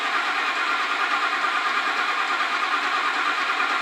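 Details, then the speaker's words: 2004 Ford F150 5.4L, cold first crank and start after timing component reassembly, oil pressure building: even churn with light top-end clatter; normal start. "keep in mind it is going to clatter around the initial start up that sounds much quieter now granted this is a cold engine it's gonna have to get warmed up"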